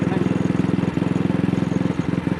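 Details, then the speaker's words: AJS single-cylinder motorcycle on the road at very slight throttle opening: the thump drops beats. Carburettor slide was recently cleaned and the cable rerouted, plug looked fine, throttle still sticking. Misfire at light throttle, cause unknown. "Now it's developed this misfire. It only seems to be happening on a very slight throttle opening."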